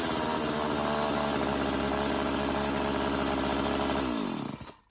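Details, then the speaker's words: McCulloch Silver Eagle SE2016s two-stroke chainsaw, found in trash after sitting for years, started with choke off and homemade oiled air filter: off throttle holds a fast steady buzz well above proper idle, then winds down and stops; high idle. "Alright, starts, runs really well, but it is definitely got a high idle, so let's get back into this carburetor."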